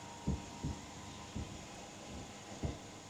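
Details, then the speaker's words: Nissan Navara, mic moved to the steering column while the wheel is turned: four dull irregular low thuds, a clunking sound; the source is traced to the right-side steering column area under the rubber boot. "Okay. So there's a clunking sound right there."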